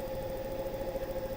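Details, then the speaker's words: Wood lathe truing an unbalanced elm bowl blank, started at the slowest speed and raised to 800 RPM: steady motor hum with a faint rhythmic pulse about eleven times a second. Off-balance blank is shaking the lathe. "the lathe start to shake a little bit. Now I'm at 800 RPM."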